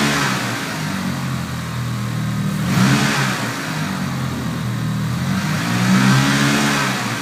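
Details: 1995 Mitsubishi Eclipse GSX, 137k miles, new Forced Performance 16G Evo III turbo, 3-inch exhaust: idles and blipped twice with rough uneven knock/tick under engine note; previous owner suspects spun rod bearing, bent valve also questioned, cause unknown.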